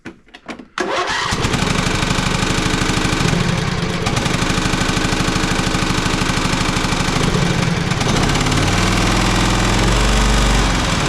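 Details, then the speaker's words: Poulan Pro 700EX riding mower, which bogs or dies under load: starts into an uneven, lopsided beat and is running on one cylinder. "Now with a trained ear, that sounds to me like it's running on one cylinder."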